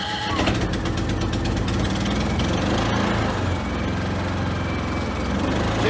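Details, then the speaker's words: Predator 3500W Super Quiet inverter generator after conversion to propane/natural gas, started while the idle mixture screw is adjusted (in lean, out rich): brief crank, then a steady, even, quiet drone with no stumbles. "This thing's quiet, isn't it?"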